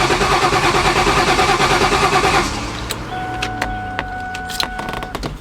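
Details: Terminator Cobra, about 700 wheel hp, Whipple supercharger on 24 psi, battery relocation kit: steady starter churn about three beats a second for two seconds, never fires; passive anti-theft system suspected, theft light flashing. Crank no start.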